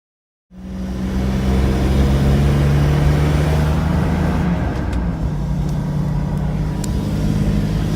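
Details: 2001 Isuzu VehiCross engine driven a day with the large intake-to-passenger valve cover vacuum hose disconnected; loud drone with hiss, hesitation and no power on acceleration, codes P0137 and P1171; owner suspects intake gasket or injector damage, unconfirmed.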